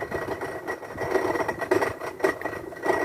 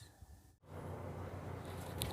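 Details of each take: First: Washing machine that will not drain, heard during the spin cycle with the microphone held close (not bearings or mechanism): fast, uneven rattle over the drum hum, caused by a corroded, broken piece loose inside the drain pump; fix is replacing the drain pump. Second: Washing machine after a repair for a strange noise during spin: after a brief pause the drum spins up to a steady, even low hum with no grinding or rattle; noise gone, normal spin.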